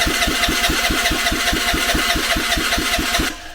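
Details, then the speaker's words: Vespa scooter being built for off-roading, not started for a while, exhausts being removed: quick even chuffs about two per second for three seconds, then dies without idling. Hard starting, cranks without catching; cause not confirmed. "It might take a bit to start this because it's not been started for a while."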